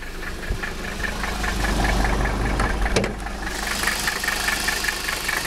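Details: Mercedes 300SD diesel, set up with a vegetable oil system but running on diesel only, started after sitting about a week, glow plugs first; even diesel clatter at a steady idle with no misses or heavy knocks, a healthy cold idle.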